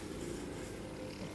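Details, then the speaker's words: Gas compressor after repair, running with a soft, even low hum and no loose knocking; noise reduced by about 70 percent and the machine works properly. "देखि दोस्तों आवाज इसकी तकरीबन खत्म हो चुकी है और मशीन बिल्कुल काम कर रही है"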